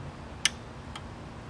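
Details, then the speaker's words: Air-cooled TIG welder during maintenance: its relay points were cleaned and pushed by hand. Two crisp clicks, one on push-in and one on release, show the contacts now close properly. "And the one on the right, you can hopefully tell from the sound, it'll click when I let go, and as well as when I push it in."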